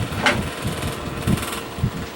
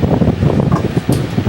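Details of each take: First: Old Bersted electric fan running without oscillation: rough, uneven rumble with irregular thumps from motor bearings never cleaned or lubricated; stuck flathead set screw prevents blade removal for servicing. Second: Vintage Bersted electric fan, previously oiled, running without oscillation: steady soft rush of air with low hum, no rattle or whine, less high-pitched than others; normal running.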